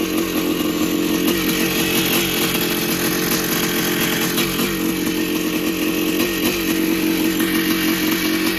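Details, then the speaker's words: 1982 Yamaha YZ490 two-stroke after six-month rebuild with new bottom-end bearings and seals: crisp even ring-ding at steady revs, no bottom-end knock or rattle, quieter than before; normal healthy running. "she St sounds pretty good sounds a lot quieter than before new bearings"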